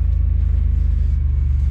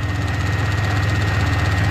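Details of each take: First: Grand Prix under restoration, right after the power steering fluid was replaced and cycled through the pump: low, even engine rumble with no whine or groan; pump already much quieter than before, quiet power steering pump. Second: Pontiac Grand Prix at steady idle during restoration: light, regular clicking on top, not internal; a loose plastic piece, believed to be the evap purge solenoid, banging against the engine; owner suspects it causes the check engine light.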